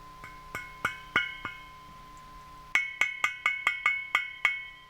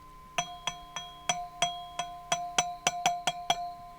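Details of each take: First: Kendrick power tube on homemade audio tube tester, 400 V plate, about 18.2 mA, gain near 34: repeated sharp ringing pings around 1–3 kHz decaying over faint hum; slightly microphonic, probably acceptable in circuit. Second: Power tube on a homemade audio tube tester, about 400 V plate and 12 mA, high gain noise test while tapped: each tap rings briefly with clean bell-like glass resonance, no buzz or loose-grid rattle; tube is sound.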